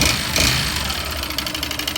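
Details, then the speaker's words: Yamaha Fazer (Phaser) 150 single-cylinder: quick regular metallic tapping, roughly ten per second, over a rough idle; teardown found a seized, badly scored piston skirt causing piston slap. "Da Phaser 150, que tava com aquele barulho no motor, canicou. Você visualiza a saia como tá bastante arranhada."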